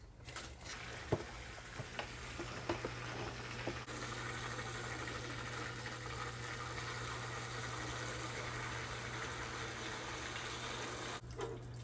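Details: New Aquaclear 50 hang-on-back aquarium filter, just plugged in with the lid off, replacing a noisy Top Fin: a few start-up clicks, then a low steady motor hum under a soft continuous water trickle; running normally and quietly.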